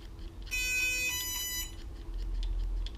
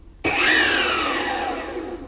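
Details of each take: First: Miami Electric Boards electric skateboard with handheld remote, receiver-to-ESC cables deliberately swapped: a quick run of bright ESC beeps at power-on, then silence with no motor spin-up; wrong cable connection. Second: Electric skateboard with handheld remote and receiver, after re-flipping ESC connections that had only caused beeping: sudden start into a bright electric whine sliding smoothly down in pitch as the motors spin freely; normal acceleration, drive healthy.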